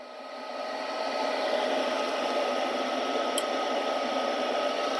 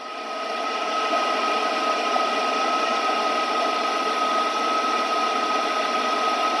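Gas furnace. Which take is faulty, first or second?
first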